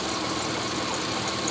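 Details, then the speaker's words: 1985 Honda VF500F Interceptor motorcycle, fuel sprayed in: a ragged, uneven burst of engine noise that sputters briefly and won't settle into a running idle. "keep it zoomed in this ain't wanting to work"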